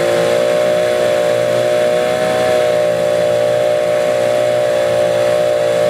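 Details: Small Yamaha eight horsepower outboard: steady buzzing at a fast idle with a slightly uneven beat; runs rough and won't idle unless choked, a problem common to this design.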